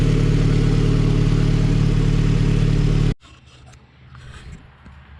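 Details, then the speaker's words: Honda Civic Si with stock B18C1 GSR engine and Precision turbo, warming up at about 12.5 air-fuel before dyno tuning: steady, even idle with no stumble or surge, much smoother than before, engine barely vibrating; healthy idle. "rock steady idle which is awesome i don't know if you guys can hear the difference or not way smoother like the motor doesn't even vibrate it's so smooth"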